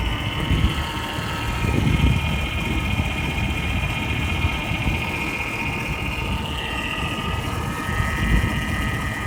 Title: 2000 Ford Taurus 3.0l 24v weird noise